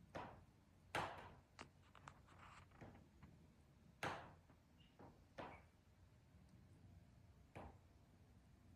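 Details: Patio sunroom around 3:50 pm in full sun: sharp, irregular pops and ticks a few seconds apart in a quiet room as the rivets expand and contract; it happens only in direct sun.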